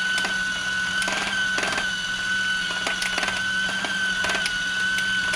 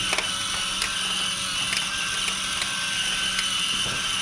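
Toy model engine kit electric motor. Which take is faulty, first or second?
first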